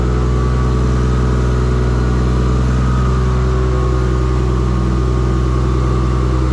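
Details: Engine's first start in a shop build using an LS alternator kit; deep, loud, even exhaust drone with steady low beat about three pulses a second. Earlier firing faults (gas pedal, swapped crank sensor signal) fixed; charging voltage too high. Normal running.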